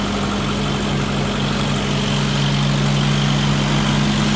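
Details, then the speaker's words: 1990 Toyota pickup after replacing the clogged idle air control valve with a junkyard one, curing the hesitation and backfire: starts and settles into a steady, even idle with no stumble or popping; normal idle. "I put that one from the junkyard and ever since I did that is running better a lot better"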